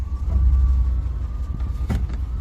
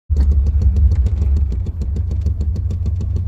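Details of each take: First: 1993 Chevrolet C1500 with rough idle, stalling and code 54, after new spark plugs fitted and contaminated fuel filter found: low steady idle rumble with a few small bumps, no clear miss; running normally. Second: 1993 Chevrolet C1500 with code 54: rough, choppy idle stutter that stalls, with sensors already ruled out. The pulled spark plugs were worn and debris came from the fuel filter.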